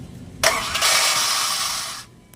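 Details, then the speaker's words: Honda VTEC starter: free high-pitched whir under two seconds without engine turning; bendix drive engages flywheel then lets go instead of cranking, noisy; bendix drive needs replacing. "ah nagan lang sira ang vinx drive oo yung pumapasok sa flywh imbis na aandar na bumibitaw"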